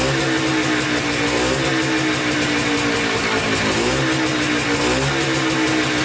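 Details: Polaris Trailblazer 250 two-stroke quad, first start after cheapest eBay piston and cylinder top-end kit, rebuilt carburetor, new oiled air filter, on choke: fires and keeps running, revs rising and falling slightly; sound start.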